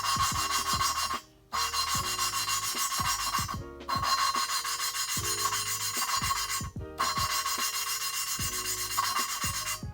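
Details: Honda B17A1 VTEC head, lapping Ferrea flat-face valves with compound by hand tool: regular back-and-forth rasping strokes with short pauses, fine and even without gritty crunch; valve seating smoothly.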